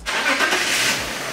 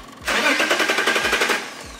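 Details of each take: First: 2003 BMW E39 530i with an MS43 DME, tested for an intermittent crank no start: after confirming constant power at the DME terminal with a test light, the engine catches quickly and runs evenly with no stumble or misfire. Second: 2003 BMW E39 530i with MS43 DME: cranks fast and evenly about a second and a half but never fires, intermittent crank-no-start traced to a faulty, possibly water-damaged DME losing constant power.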